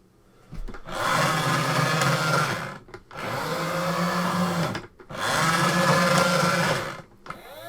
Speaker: Oh, that sounds well, doesn't it? Ah, it's stuck again. Come on. Oh, there it goes. That's not exactly quiet, is it?